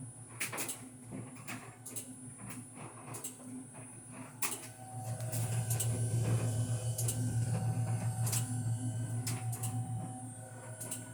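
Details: Fisher&Paykel DEIX2 Intuitive/SmartLoad top-loading dryer running: sharp, irregular clicks about once a second over a steady low motor hum; cause unknown.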